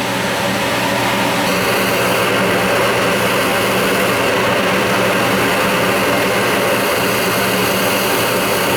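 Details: Old Goodman gas furnace inducer motor, previously binding and hard to spin, now freed up after Kroil oil was applied to the non-oiling motor: loud, steady whoosh and even fan hum with no scraping, squeal or stalling. Running normally.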